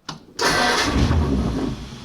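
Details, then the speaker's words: 1932 Ford roadster, first start: short crank then catches at once and settles into an even, steady idle; distributor set by guess to about 10 degrees advance, carburetor already set up, running good with little work needed. "Anyways, it's running good. I really didn't have to do a whole lot to it."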